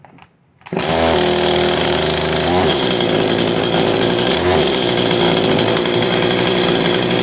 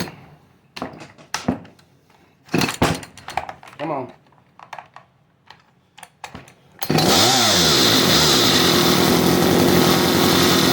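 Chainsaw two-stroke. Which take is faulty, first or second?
second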